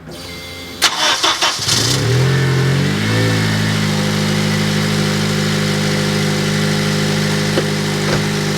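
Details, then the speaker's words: 2003 Honda Element cranking and idling: profoundly loud raspy idle with a rapid puffing beat, traced underneath to a blown exhaust donut gasket; exhaust leak. "as you guys could tell this is profoundly loud it was still very very annoying so we're gonna do is we're gonna climb underneath and look for a leak"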